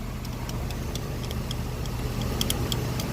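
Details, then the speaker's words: Jeep 3.6 Pentastar, valve cover off: sharp, somewhat uneven ticking over a low engine rumble, from a collapsed lifter and a wiped, cut-down camshaft lobe. "you can see it's moving the lifter's collapsed also you can notice right here the cam shaft is wiped"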